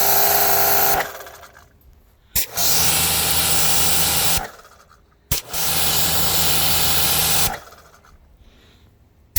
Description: Kranzle making odd grinding noise. Is it normal?